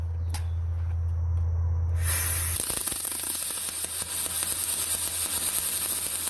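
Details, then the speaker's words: Millermatic 212 with spoolgun welding aluminum, wire feed speed turned down: machine hum, then arc hiss with uneven popping crackle about three times a second, like a Harley on 86 octane; wire feed too slow. "hear the difference so that slower feed that sounds like a sounds like a harley that's running on 86 octane"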